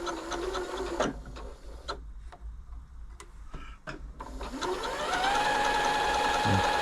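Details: Janome Atelier 6 sewing machine during a general service, running after oiling the stepper-motor feed-dog mechanism: steady, even hum with light regular stitching clicks, no grinding or knocking, smooth and quiet.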